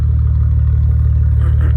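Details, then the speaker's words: Wrecked Maserati with turbos and damaged intercooler, idling with exhaust valves open; deep loud steady burble, even and smooth with no misses or rattles; normal idle. "But, you can hear just how loud. This is the valves open."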